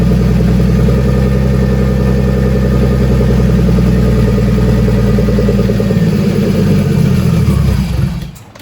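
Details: Turbo BMW E30 on E85, first start after ECU install with only injector data and required fuel changed: uneven hunting note held on throttle, then sags and dies as it leans out at idle.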